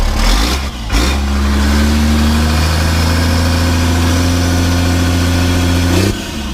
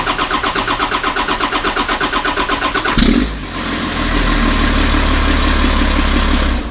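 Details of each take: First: 1991 Ford F350 with a CAT 3126 diesel swap, after installing a new oil pump to cure a hard start, fired up for its first test drive. The diesel catches promptly and settles into a steady, even run with a smooth pitch and no knocks or misses. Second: 1991 Ford F350 with a CAT 3126 diesel swap, before the oil pump replacement. Slow, rhythmic cranking for about three seconds before it catches and roars, then it cranks again after a pause: a hard start blamed on the failed oil pump.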